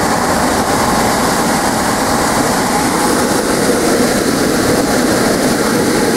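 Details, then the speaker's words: Replacement 3/4 HP blower motor, repurposed from an old air handler or furnace as a squirrel-cage shop fan, first power-up with an amp probe on: constant heavy whoosh over a smooth hum, healthy at full speed. "go ahead and turn that on wow and throws out some air"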